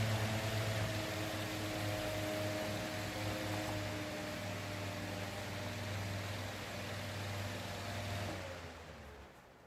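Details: Roadside-picked electric fan after replacing its suspected bad capacitor (previously hummed/buzzed with blade not turning): even low hum with a smooth steady whir, no stall or buzz, easing off at the end; fan now runs normally.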